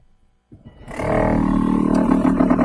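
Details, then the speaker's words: Volvo V70 heater blower motor refitted with a new resistor after failing at 20 years. It spins up to a loud droning hum with a throbbing wobble. The fan is slightly broken and vibrating, and may need a new fan shroud; it is quiet at half speed. "yes and it sounds bloody awful now the reason it sounds like that is cuz I know that the fan is slightly broken so it's h vibrating so it'll probably end up needing a new fan shroud or whatever"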